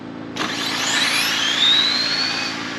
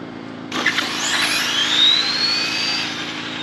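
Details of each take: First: Mid-motor drag RC car on a full-power pass after switching to a faster ramp, 22 degrees timing; high whine climbs steadily and cleanly without stutter or rattle, smooth and straight, owner wonders if it needs more gearing; normal full-power run. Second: RC drag car mid motor after adding 5 more degrees of timing: high electric whine climbs then flattens before the end of the track, topping out early at about 71 mph; owner suspects ESC RPM/ramp settings need work.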